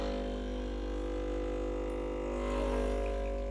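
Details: Breville Barista Express BES870 vibratory pump pulling a programmed double shot, pressure gauge around one o'clock, about 45 g out; steady low mains-frequency hum holding constant. Pump healthy and even.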